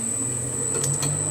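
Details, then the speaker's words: Lathe motor and belt drive running a small brass workpiece for an oscillating engine cylinder, held with shim protection; steady low hum with faint constant high whine, little vibration, no thumping or wobble, so it spins true: normal running. "you can certainly hear it and there's not a lot of vibration there so it's running nice and true i reckon"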